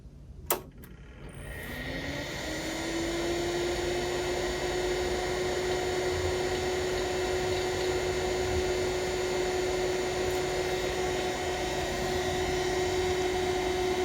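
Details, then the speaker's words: Tandy 2500 XL computer with its original 52 MB hard drive, at switch-on: a whir climbs for a couple of seconds into a steady loud hum and airy rush. The aged case fan is unusually noisy over the drive; the owner plans to replace the fan. "The hard drive certainly was going to be kind of loud, but this fan seems to be providing a lot of noise too."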